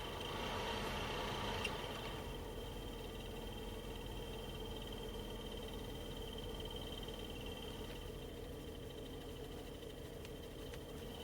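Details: 2012 BMW X5 E70, 106,080 miles, HVAC blower motor at low blower speed: steady fan rush with faint regular chirp, stops with blower off; dry bearings, fixed by re-lubricating both bearings with 30W oil.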